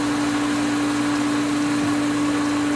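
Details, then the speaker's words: Pool pump after opening winterized skimmer line: steady hum with hissy churning wash as air enters; pump cavitating and lost prime, expected to regain prime within a minute or two. "a lot more air the pump is cavitating looks like it lost Prime"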